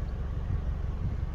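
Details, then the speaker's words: 2000 Peugeot 206 GTi petrol engine idling after being stored 5 years: a soft, steady low rumble with a quiet tick-over and no knocks or misses; normal smooth idle. "this car's silent I don't know if you can hear it ticking away but it sounds absolutely amazing"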